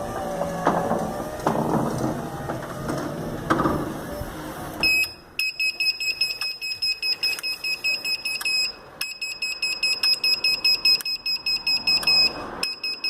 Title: Gliderol electric garage door relay clicking and beeping issue